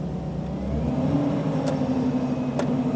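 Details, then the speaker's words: Power steering at cold start idle, all-new parts, with brake pressed to raise rpm: steady low whine over engine and fan noise, pitch changing with load, from air in the system; worse on the road; persists until the system is bled. "if you can hear that wine hear that one that's never going to go away if you don't bleed your system"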